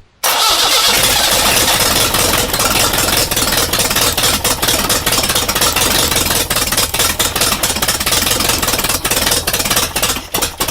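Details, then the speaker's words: Air-cooled engine after swapping in known-good carburetor and distributor borrowed from a motorcycle: long cranking with ragged uneven firing, never idles; seems to need more fuel, only tries to run when intake is slapped; fires but won't run. "No, it seems like it needs more fuel now. Only if I slap its intake, it sucks more fuel and tries to work."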